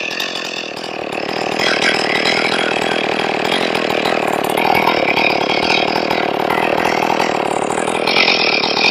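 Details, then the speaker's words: Ported Stihl 461 chainsaw after repair of a blown-out plug, final tune: steady, even two-stroke idle with no surging or dying; normal stable idle. "Sounds nice. It's stable."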